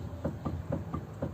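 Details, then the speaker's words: VW Passat B3 front left wheel jacked up and rocked by hand: dull metallic clunks, about four a second; suspension knock from a worn steering tie rod end, which gets replaced. "вот человек жаловался что опять идет какой-то шум стук с подвески"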